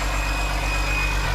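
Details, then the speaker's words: Long-sitting diesel after being found with its stop/kill engaged: smooth, even idle with a steady low throb and a clear high turbo whistle on top; healthy engine. "You can't beat that turbo sound, dude."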